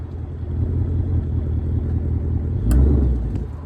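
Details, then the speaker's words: 2024 Ford Mustang GT V8, about 3,000 miles: steady rumble, then a sharp click from the right rear when power is applied after shifting into reverse or drive; owner suspects axle or wheel bearing; rear clunk under load. "I'm in Reverse I back up a little bit it's like I load up power I'll hear a click I put it back into drive apply power load it up I'll hear a click again"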